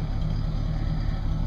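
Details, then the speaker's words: 1967 Cadillac Eldorado V8, recently aligned after long storage. A low, soft, even rumble that is quiet and smooth: healthy running. "pretty quiet it's got a nice little Rumble but just a little"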